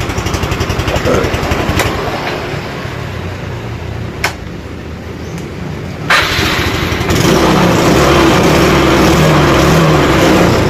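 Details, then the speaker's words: Motorcycle after refilling a weak battery (was 10 V) with new electrolyte and charging; charging normal at 13.5–14 V. Steady even idle, shut off, then clean quick electric-start restart settling into a smooth rhythm; healthy. "Jadi untuk pengisian ini normal. Kita matikan, lalu kita hidupkan lagi. Kita coba starter."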